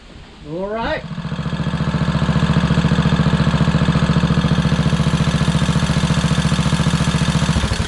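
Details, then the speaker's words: Craftsman LT2000 hydrostatic lawn tractor repowered with a Kohler Courage engine: rising whine as the starter spins up before the engine catches, then even thumping about three and a half per second. Starter seems hinky or slipping, cause unconfirmed. "starter's kind of kinky now"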